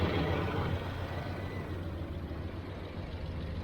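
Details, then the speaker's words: 1981 Chevrolet Silverado V8 after replacing a suspected warped pulley and adjusting timing: low, even idle with a steady beat, no misses, knocks or hunting; sounds healthy. "so it seems to be okay"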